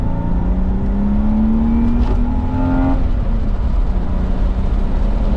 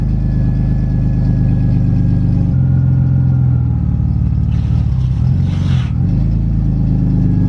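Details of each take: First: BMW E36 328i after fitting a full stock exhaust, driving with windows down: smooth, quiet engine note climbing under a pull, no knocks or rattles over road noise; normal acceleration, with some interior suspension clunks noted. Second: BMW E36 328i on its last start with the old exhaust, crushed 3-inch pipe and no catalytic converters, before a stock exhaust goes on: deep, loud droning idle turning harsh and raspy on sharp blips; loud raspy exhaust from the damaged system.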